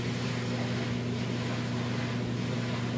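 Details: GE dryer model PDVH515EFOW after replacing the worn drum bearing: steady, even low hum with no grinding, squeal or thumping, where before it made a shrieking noise.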